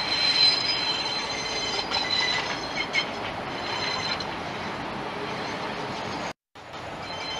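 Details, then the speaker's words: Hong Kong train on curved track heard a few hundred metres away: hissing, scraping rush with faint high squeaks as wheel flanges rub the rail. "This is the flange rubbing noise This is a few hundred meters from the train we can hear the flange rubbing noise This is just the wheel flange touching the rail"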